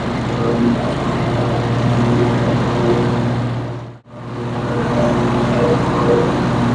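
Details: Cub Cadet 54-inch mower, 24 HP Kohler twin, after ignition coil module replacement: steady drone with smooth low pulse about four per second, deck engaged, no bogging; previously bogged on PTO engagement. Fixed, normal running under load.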